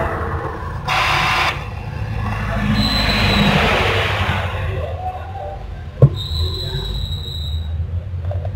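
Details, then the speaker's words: Epson L120 printer after repair of power and paper LEDs blinking together, powered off and on again: short whirring bursts and brief thin motor whine, then quiet; normal power-on initialization, steady green light, ready to print. "Alhamdulillah Ini printer langsung menyala hijau diam yang menandakan printer dalam kondisi normal dan siap pakai teman-teman siap untuk melakukan proses pencetakan"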